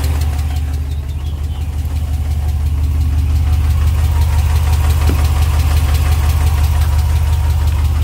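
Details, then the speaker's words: 2020 Ram Hemi V8 pickup, 12,450 miles, remote cold start after sitting about two weeks: crisp, regular valvetrain tick just under three per second over the idle, first time heard; suspected lifter tick or knock, gone on restart a minute later. "just remote started my truck. Listen to this ticking."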